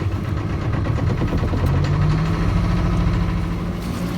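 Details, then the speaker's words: Boat engine during winter prep, just started and given more throttle: low steady chugging that picks up then holds an even rhythm; runs fine, water heard from the exhaust so cooling system is OK; normal idle. "Well, having got the engine started, it seems to be running fine, and I can hear the water coming out the exhaust, so there's no problems with the cooling system."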